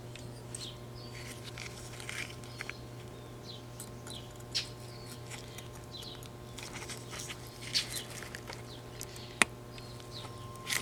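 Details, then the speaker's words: Philco 38-8 vintage tube radio being restored: 470 kHz modulated IF test signal injected into the IF tube grid cap via a 68 pF capacitor; speaker gives steady mains hum with a faint constant tone and scattered crackle, signal passing the IF stage. "So what I'm going to do, I'm going to try driving 470 IF right into the grid cap of the IF here, modulated through a 68 picofarad capacitor."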